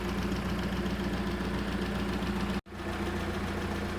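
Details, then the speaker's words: VW Polo GTI 6N2 track car, replacement engine first start after refill of coolant, warming up: even, steady idle with smooth low hum, no knocks or ticks; normal idle. "So we've got it running. You can hear it running in the background."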